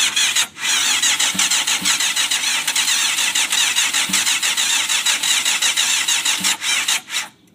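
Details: 1992 Yamaha FZR 600, carbs cleaned, fresh gas, fuel pump clicking: starter whirs with uneven chug about seven seconds, never fires; cranks but won't start, owner suspects fuel not passing through.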